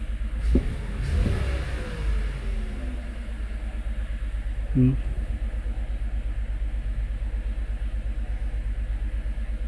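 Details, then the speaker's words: 2022 Toyota Avalon with rough idle and random misfire codes, started at about 1000 rpm: a deep, lumpy rumble with strong, irregular vibration. The misfire moved to cylinder one after swapping parts and was traced to a faulty fuel injector. "ito engine start natin So spire agad vibration agad vibration"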